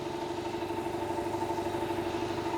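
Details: 200 L, 3 hp single-phase air compressor after service and belt replacement (old worn belt slipping had made it slow mid-buildup): steady pumping beat with an even mid-pitched hum; runs smoothly and holds speed without slowing.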